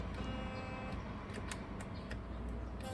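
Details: Philips electric toothbrush after teardown and repair of a noisy head, reassembled: even, steady buzz with no rattle or chatter; the magnet-and-coil drive and brush head sound normal.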